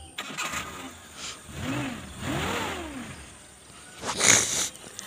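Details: Carbureted car being tuned for economy and power, started after parts were loosened and retightened: it cranks and catches quickly into an even idle, with no belt chirp or squeal.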